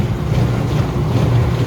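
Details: Apartment dishwasher, reported leaking at the door, switched to drain after most of a cycle with no leak found: steady even low hum with water rushing, no rattles or strain; normal drain cycle.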